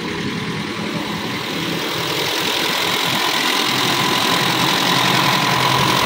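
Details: Toyota Kijang Super G after a half engine overhaul, first start with radiator and oil refilled: idle steady, no longer limping as before, but still slightly uneven and lumpy with some rattle; still running a bit rough.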